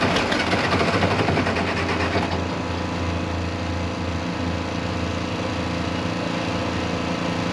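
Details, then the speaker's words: 1086 diesel tractor after injection pump work: at wide open throttle it fires harshly for three or four seconds, skipping and stumbling, then dies as if fuel shut off; owner suspects pump out of time or insufficient fuel. "what it's doing is wide open throttle it'll crank up for like three or four seconds i'll show you in a minute it sounds like it's skipping and it's like you just shut the fuel back off"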